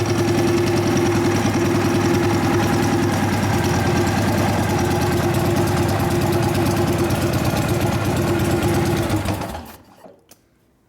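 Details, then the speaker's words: 1999 Harley 80ci Evo, first start after fuel added, choke on: lumpy, uneven V-twin beat about three and a half pulses a second, then it dies; idle mixture erratic, carburettor suspected full of debris. "All right, so the idle mixture wanted to be real fat, and then it got really, didn't want it. So I think the carburetor's full of crap and it's cleaning itself out right now."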